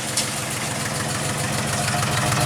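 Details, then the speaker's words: 2000 Jeep 4.0 inline-six, no check engine light: rough lumpy exhaust beat at idle, sounds like one or two cylinders missing, worse in gear; misfire at idle, coil pack suspected, spark plug center electrode found burned down. "listen to the [Applause] exhaust it's stink sounds like one cylinder but it could be two put it in gear and it's a lot worse"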